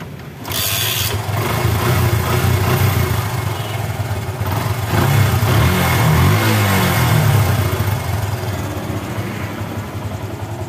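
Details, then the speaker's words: Yamaha Bison motorcycle that popped on deceleration, fixed by plugging the hose from the engine and the hose on the intake manifold; after the fix it starts and revs up and down smoothly with no popping as the throttle closes. "dan sembuh ya Enggak nembak-nembak"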